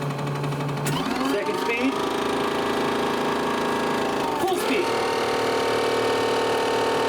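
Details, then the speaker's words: Homemade solar-powered boat's electric drive motor, after re-securing loose magnets and reducing vibration, runs with a steady even hum and clean mid-pitched whine, no rattle; much better than before, notably quiet in reverse. "well that sounds a lot better than [Music] before oh it's so quiet in [Music] Reverse"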